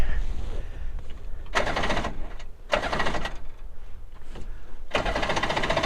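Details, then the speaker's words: Two-stroke premix engine on a jon boat, unused three years, carbs rebuilt, manually choked and primed with fuel in the intake: cranking bursts about a second each, never firing; flooded. "thank you now it's not wanting to start not cool I hope it's not flooded"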